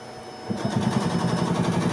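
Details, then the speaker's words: 1986 Yamaha G1 gas two-stroke golf cart: cranks but won't start after shutting down while driving, choke makes no difference; steady starter churn, even compression pulses about seven a second, never catches; fuel smells like diesel, carburetor clogged, needs cleaning. "Okay, so we have this old ass Yamaha. It's a crank, no start. They drove it for a little while and then it shut down on them while they were driving it."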